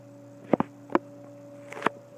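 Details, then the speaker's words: 12" Toastmaster (McGraw-Edison) metal-blade box fan, oiled, on low speed: quiet, steady low hum with a faint even blade ring and a few light clicks; running normally, and low is slower than older versions. "You can kind of hear that ringing that you hear on some metal blade box fans. But yeah, the speeds are spaced out a lot more on this one, which is nice."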